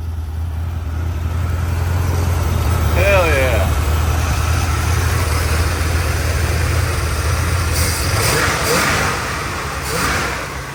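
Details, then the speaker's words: Plymouth TrailDuster (1974–80 era) 360 Mopar V8, first start in 21 years after sitting; exhaust broken off so idle is loud and open, steady even rumble with no misses or knocks; carburetor was suspected gummed up; normal idle. "there she is running first start in 21 years yes sir motor sounds good that's what I'm talking"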